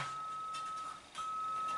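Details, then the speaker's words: Custom synthesizer player interface (STM32 Nucleo, PC sine generator): string-controlled sine tone drops out briefly then returns, breaking up from imperfect contact between stainless steel wire and tarnishing copper strip. "and you can probably hear there it is breaking up due to contact between the wire and the copper strip not being 100%."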